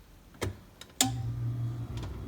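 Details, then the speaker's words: Whirlpool ED5FVGXWS05 refrigerator after cold control thermostat replacement (compressor previously started only when thermostat was struck): sharp click, then steady low hum holds; compressor starts cleanly by itself, normal start. "Oh, isn't that nice? That's the sound of a compressor turning on. And if you recall before, I had to strike this thing in order to get that to happen last time."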